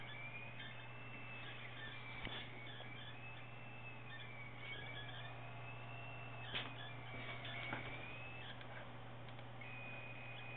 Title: PSU Tagan Piperock BZ-700 squeal/whine NOISE